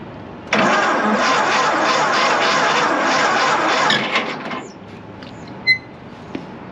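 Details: 1926 Seagrave ladder truck, first start attempt in 50 years: even starter cranking for about three and a half seconds with steady rhythm, no hitching, after a previously sticking valve freed up; engine now turns over freely.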